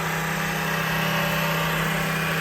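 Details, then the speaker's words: Velvet Drive Liberty 5000 series 2:1 marine transmission from a Mercruiser 8.1 boat, on a dyno after failed inner output bearing replaced and resealed: smooth, even, quiet hum in forward and reverse, no growl, not yet warmed. "nice and quiet. We'll back her down, see how she shifts. Rewind, forward, nice and quiet."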